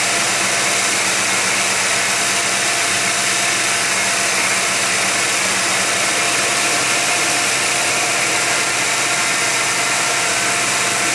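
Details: 1991 GMC Jimmy at operating temperature, 55°F ambient, has a steady fast idle that never settles, a bright hissy hum with no misses. Flammable spray found no vacuum leak. Owner suspects a sensor sending false information.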